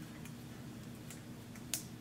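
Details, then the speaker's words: Honda Civic CVT push-belt, driven pulley turned by hand, gives sharp isolated snaps and ticks from a failed steel band in the belt. "allí, es una de las correas de acero que ha fallado en la polea o en la correa de transmisión misma"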